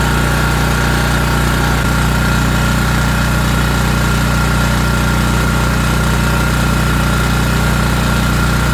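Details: ETQ TG3000 3000 W portable generator after servicing, restarted on choke and fired right up: steady, even low drone, no surging, misses or hunting, holding speed under its governor. Normal running.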